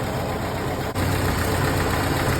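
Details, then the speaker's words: 1931 late Model A Ford coupe four-cylinder with a new Snyder 5.5 head, first run after a full engine teardown, still cool with the thermostat not yet open: low, even idle with a smooth, steady beat and no knocks or misses; it is warming up healthy. "thermostat hadn't opened yet this is still cool warming up nice"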